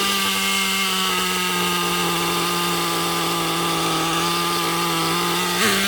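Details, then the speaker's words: Nitro RC car engine with the high-speed needle on the lean edge. The idle is high, steady and fast, dipping briefly near the end, with tick-over raised from the lean setting. The remedy is to richen the needle back up. "tick over's gone up as well oh we must just be on the edge"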